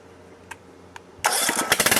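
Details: Neglected Briggs and Stratton 13.5hp Intek engine, first start after fitting a used carburetor, adjusting valves and reinstalling shrouds and wiring: a couple of faint clicks, then catches at once into a quick, even beat; starts and runs cleanly.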